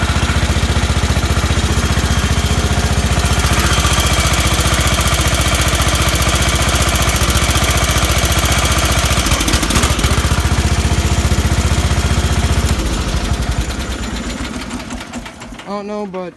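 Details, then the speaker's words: John Deere 318 garden tractor engine running with a steady, regular rod knock, then shutting off; teardown later found side-to-side play in the connecting rod; crank seal and head seal had been replaced. "any further you can hear rod knock that motor is just how we opened it up cuz we got the motor off"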